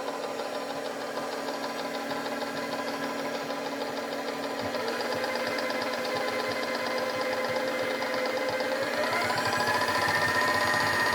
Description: I'm not sure if this clicking noise is normal.